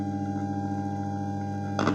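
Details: Bluetooth speaker: steady low hum with ringing overtones, then a couple of brief crackles near the end; caused by a bad internal connection in the speaker.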